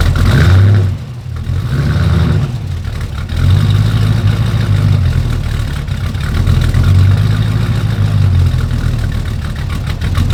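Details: 1940 Ford truck after replacing damaged headers with new ceramic block-hugger headers: even low idle after a few throttle blips, no ticking or puffing at the manifold; exhaust sealed and healthy.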